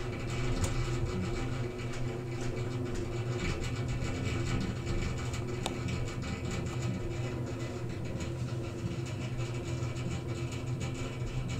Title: Noisy water heater